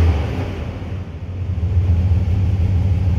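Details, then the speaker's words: Rebuilt 5.9 Magnum V8 in a flatbed truck, back under its own power: deep steady rumble with an even low beat, no knocks or ticks; normal smooth running. "flatbed is back outside and under its own power"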